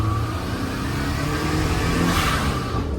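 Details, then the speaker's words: Turbo Daihatsu Mira, original blow-off valve that came with the car (Blitz valve thought leaking/dud): engine revs and drops with a short airy whoosh on throttle close; blow-off valve venting properly. "Yeah, that one sounds the most like a blow valve. Yeah, for sure. We're keeping that one on."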